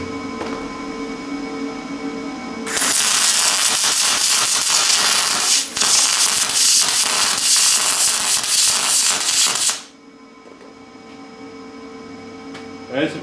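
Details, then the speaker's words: Lincoln 210MP MIG welder, 360 in/min wire feed, about 170 amps: steady crackling sizzle with fast irregular pops, short-circuit transfer running decently but never reaching spray transfer, not enough power. "pretty decent running well I just can't no spray transfer it's like right there it wants to do it it it wants to spray but it just can't"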